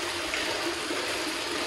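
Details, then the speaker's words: Float valve on a water storage tank, two tanks equalizing toward 8,000 gallons: a steady rushing hiss of water with no chatter or hammering. The float valve is filling normally and seals once the water level is high enough. "I can already hear the float valve going on that tank again and we're going to have 8,000 gallons of water in no time"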